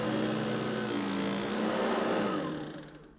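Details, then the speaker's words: New Hoover ONEPWR HEPA+ cordless bagged upright (BH55500PC) straight out of the box: a fast, buzzy chatter of three or four hits a second over the motor whine, fading as it spins down; the brushroll ingest bars rattle, a known fixable quirk, not a defect. "well that doesn't sound good is it time to send it back no luckily i'm familiar with this issue"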